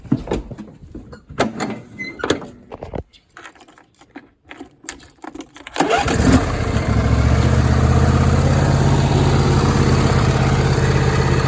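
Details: John Deere D160 mower engine, unused two years, after new plugs, air and fuel filters, battery and carburetor cleaning; starts and settles into a steady even drone, no stumbles or knocks; runs great, PTO engages.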